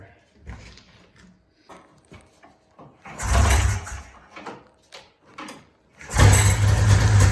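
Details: 1994 Polaris Indy 440 two-cylinder liquid-cooled snowmobile, free after 12 years sitting, running off tank fuel: short deep throttle bursts, then a strong steady rev with no misfire; clutch engagement RPM unknown, but it runs well.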